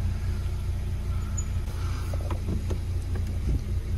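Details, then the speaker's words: 2010 Hyundai i20 1.4 four-cylinder, earlier misfiring and running rough, after repair: low, smooth idle with no stumble or skipped beats, running on all four cylinders; check-engine light still on before clearing codes. "first test is just to start the car and see if it's running rough running very smooth now sounds like it's running on all four"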